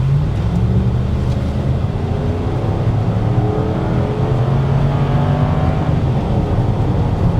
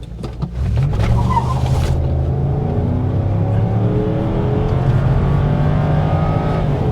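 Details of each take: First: 1999 Ford Taurus SHO V8 automatic, driving: revs climb steadily for several seconds in first before upshifting, no flare or slip; slightly sluggish first-to-second shift, cause unknown. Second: 1999 Ford Taurus SHO V8, full-throttle launch from standstill, AC off: brief tyre chirp, engine pulls hard, each upshift drops revs cleanly; shifts normal under full throttle.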